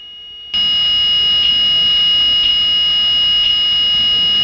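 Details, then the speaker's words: Blue Bird school bus with Allison transmission stuck in second gear, parked during TCM diagnosis: steady high-pitched dash warning buzzer holding one tone without a break. "once again I apologize for the buzzing noise in the background"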